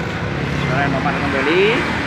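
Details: Yamaha Jupiter MX after replacing the worn camshaft bearing that caused its rough grinding noise: even, steady single-cylinder running with no knock or rattle, engine back to normal.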